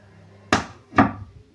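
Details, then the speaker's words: Two sharp dull thumps about half a second apart from the speaker as a power amplifier is switched off, a loud turn-off pop, milder at switch-on, caused by the installed digital echo kit. "Bunyi jeduk saat dinyalakan dan sangat keras sekali saat power dimatikan."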